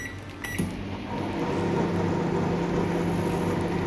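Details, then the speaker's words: Microwave oven that had been making loud noise, after checking and reinstalling the cooling fan: an even, low steady hum with no grinding or squeal; the fan now runs smoothly and quietly. "यह देखें आपके सामने बिल्कुल सही हो गया है micro fan इसका चल रहा है और कोई आवाज नहीं कर रहा"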